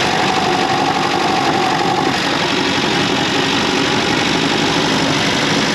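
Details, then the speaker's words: Austin 7 with new multi-spark ignition and Champion plugs, sound picked up via rod held to engine near microphone: loud rough idle with deep uneven rumble at the bottom end; big ends or bearings suspected. "yeah, it is a definite rumble bottom of the engine, so we've definitely got big ends or bearings or something's not quite right down there."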